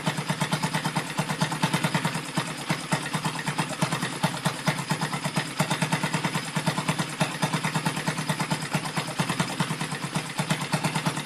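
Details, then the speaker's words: Rebuilt Yamaha Vega (Crypton) single-cylinder engine with balancer, running on the bench without a frame after a rebored cylinder: steady idle about three beats per second with an extra rattly chatter on top; the builder identifies balancer gear noise. "cuma ini ada suara di bagian atas ya Yang jelas-jelas ini sudah apa ya sesuai dugaan gua yaitu ada suara di balancernya itu yang bermasalah ya cuy"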